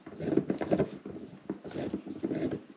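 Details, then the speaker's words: T5 transmission from a 1954 Chevy pickup, removed after failing: rough, uneven grinding and clunking in bursts as the input shaft is turned by hand, with lots of play; front input shaft bearing suspected, possibly a chewed-up thrust spacer. "And then if I put my foot on the back there, we're thinking it's the front bearing on this input shaft, so"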